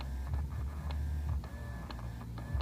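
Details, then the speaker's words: 2007 VW B6 with Climatronic: quiet repeated ticking from behind the dash corner, once or twice a second, while driving, as the climate flap actuator motor hunts for a position it never reaches; faulty flap actuator, noise stops when unplugged, replacement advised. "there's this flat engine that's trying to get the right position but it can't so that's what is causing that"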